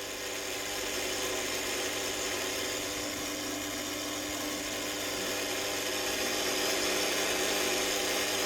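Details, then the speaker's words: Zanussi ZBF 560X oven constantly buzzing with a steady electrical buzz with a thin high edge while the clock keeps resetting to 12:00; fixed by replacing the timer's capacitor with a class X2 680nF type. "Right, so this is the fault on the oven. The clock keeps resetting to 12 o'clock and it's buzzing all the time."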